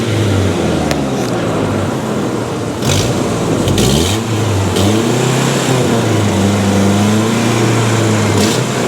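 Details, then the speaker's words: 1996 Mazda B2300 / Ford Ranger pickup, restarted after cooling about an hour, with a new fuel filter just fitted; steady idle with a brief rev blip, no stumble, running much better: normal idle. "I think it's doing just fine all go aad and shut her down it's running way more better"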